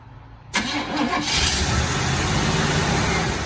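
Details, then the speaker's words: 1968 Chevrolet Impala convertible, long stored outside, choked, with a stuck float freed and the carb bowl dry so fuel must come from the tank: starter churns steadily for several seconds without catching. Cranks but won't start. "I wish we had a little bottle of gas we could fill the bowl up"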